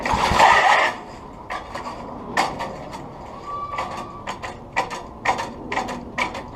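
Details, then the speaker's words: Old Craftsman tiller with flathead Briggs engine, points just changed, carburetor still an issue: loud squealing scrape on each recoil pull, uneven clicks on rewind; not the belt, owner suspects a rusty starter clutch. "it's not the belt squeaking then it's probably most likely the starter clutch is rusty down inside there"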